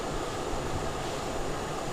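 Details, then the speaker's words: Samsung inverter AC outdoor unit whose error was caused by a malfunctioning relay on the outdoor PCB. The compressor loads up to 0.60 A, heard as a steady rush of fan air over a low hum with no knocks; it ran well for about 10 minutes with no error. "இப்போ 0.60 arms எடுக்குது. இப்போ நல்லா load ஆகுது compressor. கிட்டத்தட்ட நான் ஒரு 10 நிமிஷம் ஓட்டி பார்த்தேன், நல்லா பர்ஃபெக்டாக ஓடுது."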